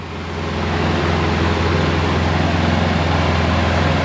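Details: Polaris Sportsman 700 ATV idling warm after a head gasket replacement; coolant circulating, not overheating. Low, even idle with a steady hum, no knocks, misses or surges; runs smoothly and sounds healthy.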